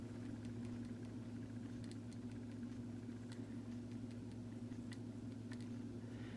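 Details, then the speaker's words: Vintage Sears variable timer, model 796.66400 (Intermatic D111 type), plugged in before repair: low motor hum with uneven clicking as it struggles to start; main drive gear has missing teeth, replacement gear fitted afterward. Worn drive gear. "it's trying it won't start though there it goes and see it's not going to work that's also that clicking noise you'll know the gear is going bad when it starts making that noise"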